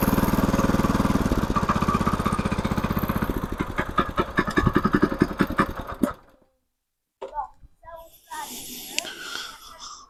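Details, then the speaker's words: Mini motoblock/motocultivator, 170 engine, after rebuild with new cylinder liner (old one scored) and new rings: quick even single-cylinder putter, steady beat, no knock or rattle, then shuts off. Normal running. "Xo'p, xudo xolasa bo'ldi, yurg'izib qo'ydik."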